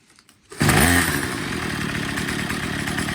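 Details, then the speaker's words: Troy-Bilt TB22 EC weed eater after tune-up, cleaned and re-oiled air filter, idle and high-speed screws set by ear for maximum rpm: steady, even high-pitched scream at full throttle with no sag; running great. "so it's running great"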